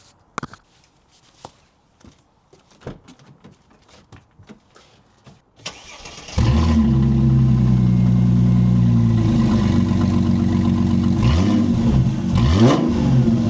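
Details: Mercedes SL R230 cold start after rear brake pad change and SBC reactivation: a few light clicks, cranks and catches at once into a smooth, even fast idle with clean revs. Normal cold start and revving.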